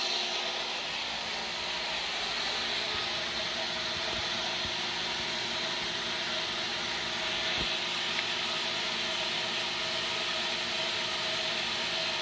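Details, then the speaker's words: Hallmark submersible well pump from Amazon on test at 50 psi drawing 4.5 A, in line with spec: steady, even hiss of flowing water with no surging, knocking or rattle; the pump runs smoothly at rated load. "at 50 psi we're running 4.5 amps so we're right in line with it"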